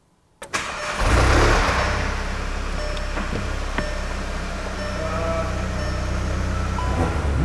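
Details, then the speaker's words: MK7 VW GTI sold as needing an engine, after replacing failed camshaft adjuster spool valve (magnet button popped out): cranks briefly, catches at once, settles into steady even idle with no knocks or misses; normal start and idle, fixed without engine. "this car is fixed imagine that doesn't need an engine just needed that uh spool valve"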